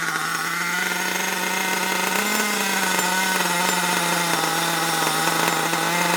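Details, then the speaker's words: Long-stored HPI Savage 21 nitro RC monster truck after leaning the low-speed needle a full turn; loud raspy high-revving buzz whose pitch wanders and surges unevenly, still running rough and unhappy. "uh yeah it's definitely not very happy still"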